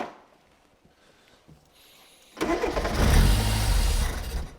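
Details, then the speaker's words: Mk1 Ford Fiesta Super Sport barn find, parked about 20 years, full choke, cold, tried without throttle: cranking then the engine catches, runs roughly about two seconds and stalls; it needs a little throttle to keep running. "Try it again without throttle this time. Out. Just try running it without throttle. That's what happens without throttle. So it needs a little bit of throttle."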